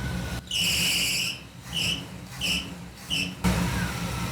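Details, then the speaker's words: 1959 Pontiac Catalina just restarted after carburetor work, idle turned way down: four sharp high squeal bursts over a low, lumpy idle; the drive belt slipping. "I did turn the idle way down when I was messing with it, so. Dial it up. That belt."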